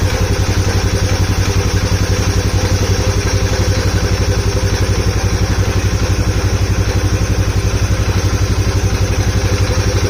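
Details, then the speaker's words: Polaris Sportsman 570 single cylinder, first start after build, oil lost from untightened cam chain tensioner and topped with T4: steady idle about four beats a second, loud hollow intake sucking with airbox lid off, slight smoke. Owner suspects tick, unclear. "Okay so it runs not sure if that's how it's supposed to sound it's smoking a little because oil poured out everywhere it's making an intake sound that I don't normally know if that's if it sounds like that because this lid is off"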